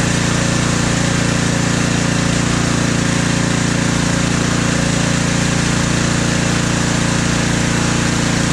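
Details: Husqvarna ST330T/ST332 snowblower that wouldn't start and was hard to move, oil black and smelling of gasoline: steady, even single-cylinder putter with a firm, unchanging beat; running smoothly.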